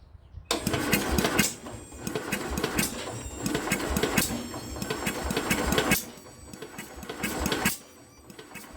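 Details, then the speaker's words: Speedex 1630 garden tractor on its old leaking carburetor, spark present, spray shot in and plug refitted: several long bursts of uneven starter churning with faint puffs and no catch; it cranks but won't start. "She's trying, but she ain't wanting to do it."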